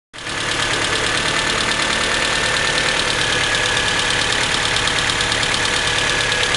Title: Ticking noise coming from the head after the valves were adjusted.